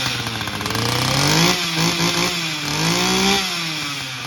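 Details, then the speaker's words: Stihl 032 AV chainsaw, bar removed, gas tank seam resealed with JB Weld after overnight fuel leak; rasping two-stroke buzz rising and falling smoothly with throttle, no stumbles or cutting out: normal running after repair. "So I'm gonna start it up here, verify that it will still run, and then I will see if the fuel drains out overnight, and I'll let you know."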